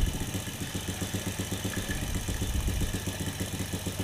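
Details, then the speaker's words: Single-cylinder carbureted motorcycle fouling spark plugs black, mixture screw turned out further: uneven lazy putter around four beats a second, no crisp rev pickup, cheap carburetor hard to set; still running rich. "Tambahin lagi 2 putaran. suaranya masih kayak suara mesin keborosan ya, deret kayak gitu, belum teriak"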